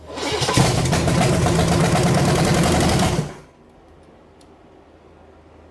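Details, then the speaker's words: 1974 Chevy 454 big block that sat 20 years, test-run while adjusting timing: it fires and runs rough for about three seconds, then cuts out abruptly with heavy smoke from Marvel Mystery Oil. Low fuel or timing is suspected. "that stopped [Music] abruptly that's a lot of smoke huh it's all that Marvel's Mystery Oil that I put in there"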